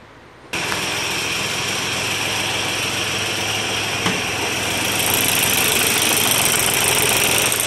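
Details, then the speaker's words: Volkswagen diesel at idle before pump removal: busy uneven rattly clatter about three taps a second; broken spring inside the injection pump. "Sesi duyuyorsunuz. Pompanın yeri kırılınca bu şekilde ses yapıyor."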